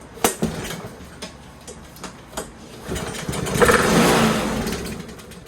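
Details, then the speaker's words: Free roadside Yardman self-propelled 173cc push mower started on starting fluid: a few pops, then it catches and revs hard to a scream before fading. Owner suspects stuck throttle linkage or a failed governor. "Was that me, or did that sound like it was going to run away? Throttle linkage might be stuck, but will run."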